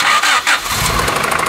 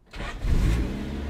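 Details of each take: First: 200k-mile Honda Del Sol starting then running rough with fast sharp clatter, unstable idle, white exhaust smoke and check engine light on; blamed on bad piston return springs, with the head gasket and return springs replaced. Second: 200k-mile Honda Del Sol after head gasket replacement starts almost instantly and settles into a smooth, even petrol idle, running well.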